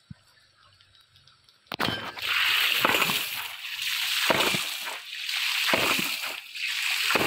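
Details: Mini hydraulic ram pump (3-inch pump, 5-inch tank, 3-inch waste valve), 6-7 m input fall, lifting 100 m vertical (10 bar) through 400 m pipe: rhythmic metallic waste-valve clacks roughly every second over rushing water; it is beating steadily and working normally.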